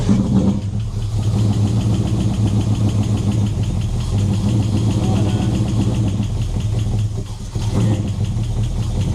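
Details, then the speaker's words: Summit Racing distributor, normally 16° initial and 32° total; low, lazy, uneven idle that sags and nearly dies; timing really retarded, distributor must go around another tooth. "Yeah, no, we've got to go around another tooth because it's really retarded."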